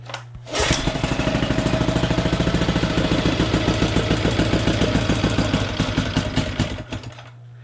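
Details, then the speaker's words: Abandoned outboard motor, previously seized and found with a misassembled fuel pump, started on full choke without water muffs: a crisp, even popping at about three beats a second before shutoff. It is running normally. "I think we got her resurrected."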